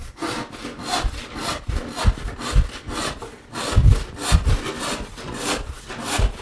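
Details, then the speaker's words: Hand saw making a rip cut or crosscut, sawn square and plumb: steady, even rasping strokes through wood, about two a second, running smooth with no rattle or buzzing vibration; smooth, square cut. "listening to the sound of your saw as you make a rib cut or Crosscut will tell you a lot about whether or not your sawing square and especially Plum"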